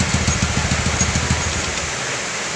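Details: Yamaha Jupiter Z motorcycle after clutch repair (worn clutch rubber dampers caused rattle at shutdown): even low thumping idle, then clean switch-off with no rattle or clunk.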